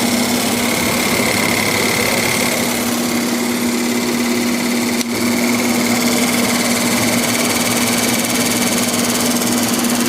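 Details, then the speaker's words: Haier 5000 BTU R410a window AC, probably in its third year, first startup of the season, max cool, fan on low: a constant hum with a steady high-pitched scraping over the fan. The owner suspects the motor bearings; it didn't sound like this last year and the cause is unknown. "I don't know what in the world that's rubbing on that could just be the motor bearings I would mean it didn't sound like that when I took it out of the window last year so I have no idea what that is"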